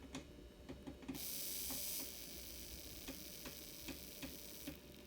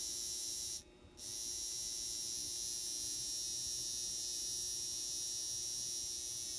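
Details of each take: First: Old N scale Atlas/Rivarossi 2-8-2 Mikado locomotive, tender pickup wiring re-soldered, running at lowered voltage before lubrication: quiet, light ticking a few times a second as it creeps along slowly; normal slow running. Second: Old N-scale Atlas/Rivarossi 2-8-2 Mikado locomotive motor after oiling its bearings, run on voltage: thin electric buzz, steady then stuttering on and off, rough and worn; motor has seen better days; noisy motor running.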